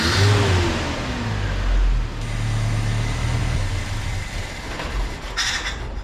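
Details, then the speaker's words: Carbureted truck after a carb swap, with float level reset, old screw removed and distributor cap and coil wire refitted: engine revs up, then speed sags and turns uneven and lumpy, wanting to die after the blip; stall after revving, cause not yet found. "better when I did a little rev up and then just immediately try to die do y'all hear here and that's what I was trying to figure out what the hell's going on"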